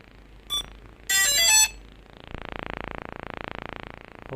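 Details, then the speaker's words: FiMi X8SE 2020 drone powering on after a firmware update: one short beep, a bright chime, then a long evenly pulsing buzz; normal power-on sequence, owner suspects the firmware update caused the new beep, harmless. "ครับก็เสียงจะดังปี๊บนะครับทั้งนึงก็จะเป็นเสียงอ่าเปิดตัวลำตามปกตินะครับ"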